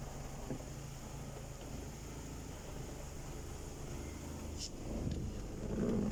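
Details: BMW E90 N46 engine, after fixing a crank-no-start with fault code 2F44 by syncing the EWS and DME in INPA: low, steady, even idle hum with no misses or stumbles; starts and runs normally.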